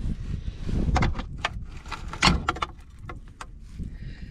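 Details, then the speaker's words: 1964 Impala 283 V8, sitting since the 1970s, crank turned by hand: irregular gritty crunches and dull clunks; debris suspected in the oil pan. "come on baby she turned a little bit sounds a little crunchy in there"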